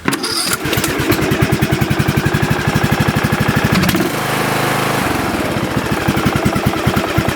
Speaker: Perfect, this engine started up right away.